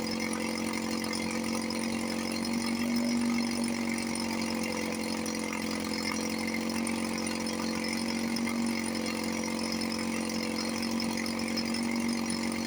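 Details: 1954 Johnson 5.5 HP outboard after restoration (cylinder head, water pump, carburetor packings, linkage, starter). Steady, even buzzing run with no misses, knocks or surging. Normal running, then out of gas.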